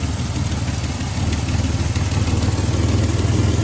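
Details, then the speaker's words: 1967 GMC C1500 with a big-block 305 V6 and glass-pack exhaust, running after sitting 20 years: deep, slightly lumpy idle with loud raw exhaust note; suspected exhaust leak on one side and a slight misfire. "exhaust here little bit of a Miss I think"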